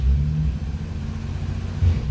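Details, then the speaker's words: 1960 DKW three-cylinder two-stroke after head gasket replacement, 6-volt boost: low even rumble settling into smooth steady beat with no missing pulse; runs smoothly on all cylinders. "Sounds pretty smooth. Ah, that's nice. Yeah, I'm happy with that."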